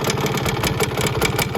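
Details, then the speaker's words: 1971 Suzuki TS185 two-stroke just revived after years sitting, idling too low while burning off deposits: uneven idle with a light metallic rattle on each beat. Owner suspects something loose or busted inside; cause not found. "it sounds like something's rattling in there so I don't know if it is actually in good shape or not but that's something I need to look into"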